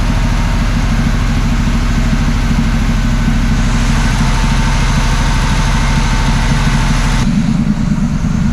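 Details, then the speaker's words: 1979 Camaro Z28 V8 after carb rebuild and tune-up with new plugs and wires, idle adjusted, earlier stalling from near-empty fuel; deep steady lope, even firing on all eight, no misses or knocks; normal idle while warming up. "just like that y'all tuned up sounds like it's running on all eight [Music] now"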